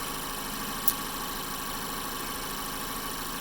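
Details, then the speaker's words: 2012 Mazda 3 Skyactiv petrol engine at idle after replacing the serpentine (AC/alternator) belt and stretch water pump belt to cure squeaking: steady even hum, no squeal or chirp; normal idle. "yeah the engine running smooth so yeah this a belt for the"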